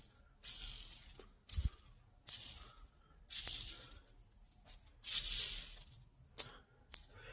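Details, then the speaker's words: Honda D16/D15 manual transmission input shaft bearing spun by hand: about six bursts of dry gritty rattling, each fading; the source of all the transmission noise; worn bearing, replaced with new. "And this is the source of all the noise. This guy right here. Noisy, noisy."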